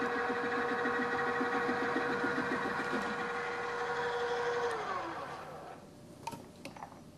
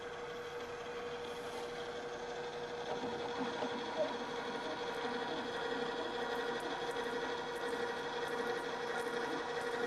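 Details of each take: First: Milling with an end mill held in a drill chuck on a drill press: steady motor hum with rough pulsing rumble and chatter from lack of rigidity, leaving surface irregularities of about ten thousandths of an inch. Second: Drill press drilling at low speed with the back-gear transmission engaged: steady low motor hum and smooth cut, the slower speed eliminated the chatter; drill press cutting without chatter.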